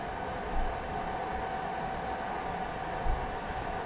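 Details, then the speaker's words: Newly installed diesel air heater in a shed, battery powered: fuel pump switched off, heater in its normal roughly one-minute fan cool-down sequence, a soft even fan whir with a steady mid-pitched hum and no pump ticking. "And then you can hear the fuel pump is switched off, and now it goes through its cool down sequence."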